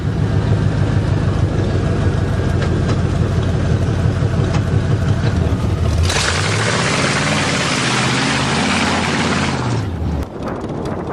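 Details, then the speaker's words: Buick Roadmaster 5.7 L fuel-injected throttle-body V8 idling through newly completed custom chopped open headers: deep, loping burble, even beat, no misfire or tapping; healthy normal idle. "5.7 liter fuel injected throttle body V8. First time for 2008. First time it's been completed. That sounds awesome."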